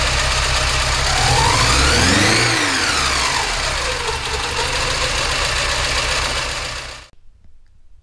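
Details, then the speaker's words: Porsche 944 four-cylinder petrol engine at first start-up after head gasket replacement idles rough with a lumpy, stumbling beat; sounds like a misfire on one cylinder, injectors to be checked next. "we have ignition but as you can probably hear the engine's running a little bit rough and it sounds like we have a misfire on one of the cylinders"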